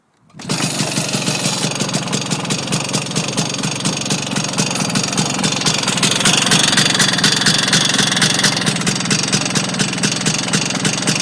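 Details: Vespa scooter starts and idles with a steady sharp knock on every beat, just under four a second; unchanged with clutch pulled in or any gear selected, owner suspects engine bearings; cause unknown.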